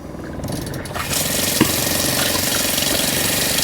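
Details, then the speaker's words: Caravan/camper fresh water pump kicks in with a fast, rattly tick about four a second after pump replacement and adjustment, likely from air still trapped in the line or a leak. "Now, if you can hear how it's ticking, that means there's either a leak or just a bit of air in the line most likely still."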